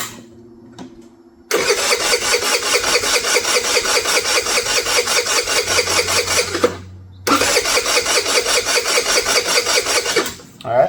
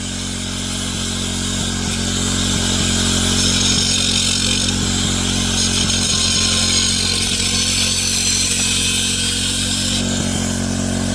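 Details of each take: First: Abandoned MVP 49cc Chinese scooter before carburetor, intake, plug and coil replacement, starting fluid sprayed into the airbox: starter churns in steady bursts about 2.5 a second with weak catches, never fires; fuel starvation, possibly flooded with starting fluid. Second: MVP 49cc Chinese two-stroke scooter after upgraded carburetor, new intake, spark plug and coil, fuel from a temporary external tank: buzzes smoothly and evenly, pitch rising as it revs, no misfires or knocks; running normally.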